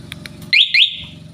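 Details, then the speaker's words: Rusi Macho 150 motorcycle with newly fitted two-way alarm: two short shrill chirps from the siren over low idle on remote unlock; normal unlock chirp. "Paandarin natin siya ngayon gamit to. Pag ilalak nyo, yan, lock, unlock."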